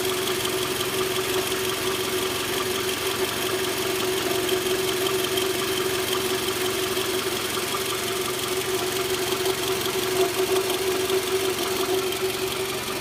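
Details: Toyota Camry V40 2.4L: steady running with a faint, loosely spaced tapping over an even hum; engine knock, cause unclear.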